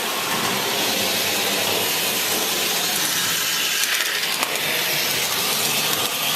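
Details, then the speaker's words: American Flyer 3307 locomotive motor after armature rewind, run at low speed outside the shell: steady, even high-pitched whir, no knocks or surging; ran 15 minutes without getting warm. Normal motor run. "You low speed performance, and it runs real smooth. It runs cool. I ran it for 15 minutes. It didn't even get warm, so I'm real happy with the way this works."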